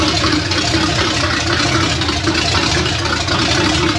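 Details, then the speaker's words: $300 Small Block Chevy 350 V8 idling on a DIY engine run stand: a steady, even idle with a slight lope and no knocks or misses. It sounds good and cammed, fans and radiator work, and the owner suspects no thermostat. "uh fans work good radiator keeps it cool motor sounds good motor sounds like it's got a cam in it which is good"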